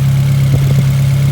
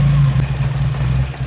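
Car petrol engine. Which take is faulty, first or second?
second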